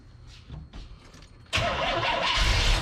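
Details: Corvette with carburetor, on jump pack after dead battery, fuel pressure gauge fitted in line: after a pause the starter spins steadily but engine never catches; crank no start, owner suspects carburetor needs expert look or replacement.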